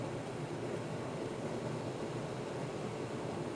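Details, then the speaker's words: Friax wine cellar cooling system fan at full speed with outlet closed almost completely, about 350–375 Pa: steady airy rush with a strained, hissy edge, fan noise from restricted airflow. "if we close it almost completely well if we close it almost completely that's 28 350 375 pascals and you can hear how noisy that is this is obviously on a full speed"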